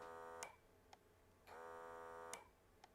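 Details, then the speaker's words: Pixel Pump PCB pick-and-place vacuum pump: hum stops, then two clean clicks half a second apart as pressure relief valve opens to dump vacuum and recloses for next cycle; normal. "you can kind of hear the valve clicking two times the first time is opening it so it dumps all the vacuums so your parts your part kind of drops to the floor or on your board that's better and the second one is it closes again for the next cycle"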